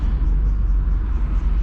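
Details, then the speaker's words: 1970s Ford Cortina, carburetted, running badly for days and stalling in traffic: low, lumpy rumble with uneven surges close to stalling, plus a ticking noise; owner suspects idle set too low and carb needing setup. "What is that noise? The ticking noise? I don't know. It's running really bad at the minute. Yeah, it's been running bad the past couple of days."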